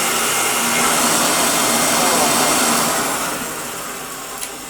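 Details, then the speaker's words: Hotpoint Light'n'Easy vacuum cleaner, old unit powered up for a first test: steady high motor whine and rushing air with no beating or flapping from the brush, because the brushroll belt has popped off rather than snapped. "The belt isn't working though. I don't know if that's because it's just snapped or popped off, or maybe I had it. Oh, it's just popped off."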